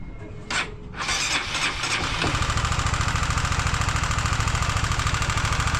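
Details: Honda CBR150R engine at idle after start: steady knock about three and a half per second over the idle, apparently from the top end; engine later removed, sand-like debris found inside; cause not confirmed.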